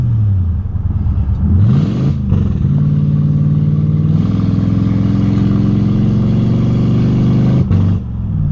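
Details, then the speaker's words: 2006 Crown Victoria Police Interceptor (P71) with a bad transmission in limp mode and the wrench light on. It won't exceed 30 mph (description says 40) and sputters on throttle. The engine climbs, holds one flat speed and briefly cuts out. Driving in second gear avoids the 3rd-gear shift. "So this is what limp mode looks like on an 05 and up Crown Vic, the bad trans. Notice as I start to drive that the car won't go past 30 miles per hour. And if you try to get on the gas, the car will sputter and throw a wrench light, and well, here, just look for yourself."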